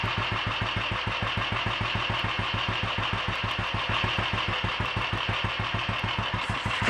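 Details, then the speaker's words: Royal Enfield 500 single, freshly rebuilt (new mains, forged rod with roller big end, forged piston, alloy barrel, ground valves), ignition timing checked, carburettor and tickover just adjusted: crisp, even thump about seven beats a second, steady idle, running healthy. "although is quite happy with life"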